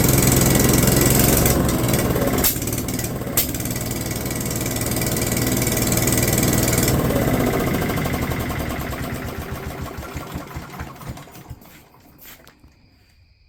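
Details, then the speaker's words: Junkyard small engine, hard to pull, on a choked hard start: it sputters unevenly, throws a couple of sharp pops (an aggressive backfire), then fades and dies. "Y'all missed it, but that was an aggressive backfire."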